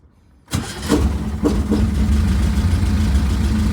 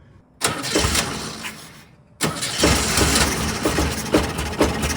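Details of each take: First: 1967 VW Type 3 Squareback, warmed up, after adjusting idle and mixture screws and synchronizing both carburetors: catches after low chuffs, settles to steady idle around 750-800 rpm without throttle; normal warm idle, needs slight further adjustment. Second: 1967 VW Type 3 Squareback, start with newly working carburetor chokes: quick crank, catches right away, fast uneven idle about ten seconds then dies; starts but won't keep running, chokes open, owner suspects idle adjustment issue.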